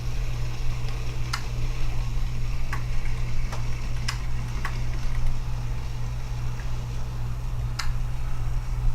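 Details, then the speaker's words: Model railroad reverse loop, AR1 auto-reverser during wiring test; sharp irregular relay clicks, about seven in nine seconds, over a steady low hum, clicking when it shouldn't; sensitivity needs adjusting; auto-reverser chattering. "i think there's something wrong with the 8r1 because it's clicking too many times you shouldn't be clicking right now you guys hear that you just need to adjust the sensitivity a bit more"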